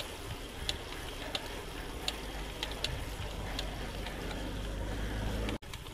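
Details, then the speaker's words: Bicycle while riding: sharp, light clicks about once a second over wind and road rumble; rider says it is not the bottom bracket, crank or pedal, and calls it a big problem. "Right, so the clicking you can hear there in the background is not the BB, it's not my crank, it's not my pedal, it's not George's knees. It's a bit of a problem."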